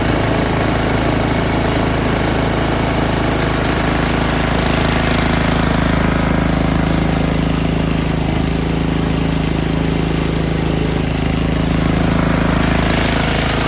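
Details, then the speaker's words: Snowblower engine stored 4 years in a shed, winterized with the fuel shut off, fired on the first pull on choke and primed; it is now off choke at full throttle with a loud, steady, even drone and no misses, surges or knocking, a normal run. "nice 4 years a little bit in the beginning. Now it's smooth full throttle off choke."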